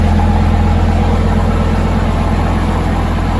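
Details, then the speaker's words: 2006 VW Touareg V10 TDI after new batteries and tune removal: deep diesel idle with an uneven pulse and RPM wandering. The passenger-side exhaust smokes soot while the other side's exhaust is cool; owner suspects it runs on five cylinders, possibly from lost ECM communication. "I bet we're only running on five cylinders"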